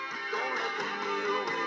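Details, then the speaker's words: 8-track tape with correctly replaced pressure pad; clean steady music playback with no warble, dropouts or muffled highs, tape riding the head properly: normal tape playback. "now you know why it's important to build when you're replacing these pressure pads to do it right because if you don't well let me show you if you do it right sounds like"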